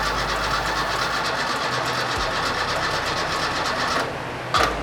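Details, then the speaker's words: Fiat 131 Mirafiori Abarth with newly fitted twin Webers, woken after many years asleep: steady even starter churning with no firing while fuel has not yet reached the carburettors; it later fired and ran smoothly. "we haven't got fuel in wait not yet because it's quite low anyway"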